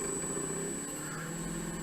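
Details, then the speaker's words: Three-phase electric motor for Harbor Freight 44142 mill/lathe conversion, new bearings fitted: rough buzzing drone with thin high whine; rock in shaft blamed on bearings loose in one or both bell housings, sounds better at twice original frequency. "so it's the bearings to one or both the Bell housings now if I start this up you'll hear why that's an issue"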